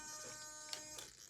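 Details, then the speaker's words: SMT10 RC with 4WS on a hacked Flysky GT3C, Mamba Max Pro ESC, Rock 412 3100 kV motor, 23 kg front and 20 kg rear servos: thin buzz and clicks as the rear servo kicks while steering left, a power issue from the ESC's BEC; an external BEC is needed. "See, it goes a little bit too far there. Scroll over to endpoint, channel 1, and if you're turning to the left, see how that rear is kicking? That means we're having a little bit of a power issue out of the BEC of that old Mama Max Pro ESC."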